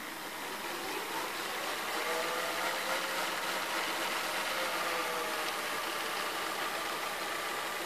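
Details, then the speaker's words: Sony SLV-760HF VHS VCR in fast-forward makes an unusual continuous gritty whirring with faint wavering tones, like a kitchen blender; the source is unknown, and the pinch roller mechanism and gears are inspected next. "makes unusual sound when it goes forward if you can listen closely it sounds like a freaking blender"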